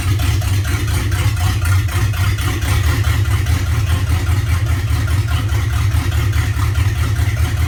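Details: LQ4 V8 at idle, pulsing unevenly with loudness dipping and surging instead of a smooth steady beat; rough idle.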